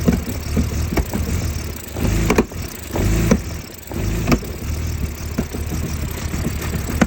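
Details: 2004 BMW E46 325Ci with a rough start and an uneven, stumbling idle. Sharp irregular pops about once a second come from the intake manifold; misfire-type roughness, cause unclear.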